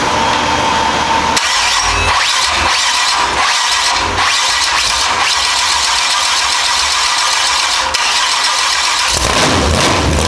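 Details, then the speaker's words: Freshly built big-block Chevy jet boat engine first start on a run stand with open headers: loud, labouring cranking that struggles before catching into a rough, busy run; hard cranking, owner suspects too much ignition timing. "W it sounds pretty R yeah man I don't think it likes cranking with the why yeah I think I got too much timing in it"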